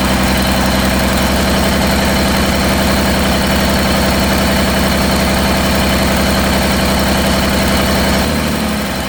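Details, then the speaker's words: Rebuilt Cummins diesel in a C40 truck, after replacing the No. 6 injector: heavy, lumpy, uneven idle that never settles; it still runs rough, cause unknown. "Well, unfortunately, I have worked all day tirelessly and made absolutely no progress other than I've got the smoke to quit, but it just don't run right for some reason."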